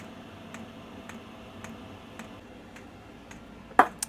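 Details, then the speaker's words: Vevor diesel heater with relocated fuel pump and new combustion air intake, fan turned down to 3 of 10: crisp, even ticks about twice a second over a soft low hum; normal dosing pump ticking. "let's turn the fan down and see how quiet we can get this thing we'll put it to just three bars instead of 10 so now the loudest thing is going to be the fuel"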